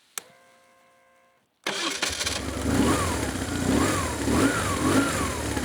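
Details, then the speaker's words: 2004 BMW R1150GS Adventure boxer twin, non-runner after starter removed, refitted and rewired: starter spins briefly, engine catches at once and settles into lumpy but even idle; clean healthy restart. "But will it run? It runs! Will it run again?"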